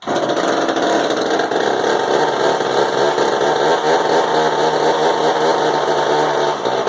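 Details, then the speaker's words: Husqvarna 35-type Frounteir Mark 1 two-stroke chainsaw, just started after hard starting with pops: loud crisp buzz holding steady high speed without stumbling or misfiring; running fine. "Works too. Nothing wrong with that, so that's awesome. That's a loud little saw. That is a loud little booger."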